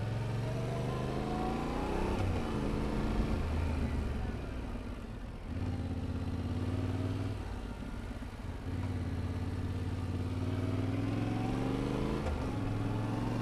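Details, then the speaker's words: Motorcycle demonstrating smooth upshifts as the goal for rookie riders: engine note rises steadily, dips briefly at each change, climbs again with no clunk; smooth gear shifting. "So you have your starting point, and you can practice your shifting, make it as smooth as possible so that you can start shifting like this."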